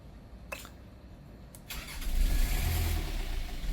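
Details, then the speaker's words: A boat diesel that has hardly been run gives a couple of clicks, then cranks and slowly catches into a low rumbling run. It is a hard start after sitting unused; the cause is suspected, not confirmed. "Yeah. So, I mean, it it'll start. It's a little It needs a run. It hasn't run a lot as we hear."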